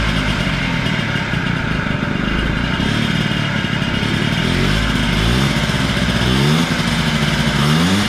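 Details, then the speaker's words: Honda Spree 50cc two-stroke scooter rises in pitch with throttle blips but sounds flat and weak; compression reads low, owner suspects blown motor, premix added to gas causing slight smoke; lack of power. "Starts and runs. It just, like I said, has no giddy up and go."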